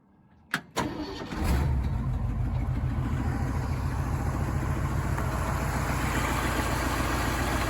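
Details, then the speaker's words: 1977 Jeep CJ5 after carburetor cleaning and new fuel line, cold start with no choke after sitting a couple of days: short crank, catches at once, steady even idle; normal cold start. "that's straight up cold start now it's not cold outside but just for no choke or nothing that's pretty darn good like a sewing machine"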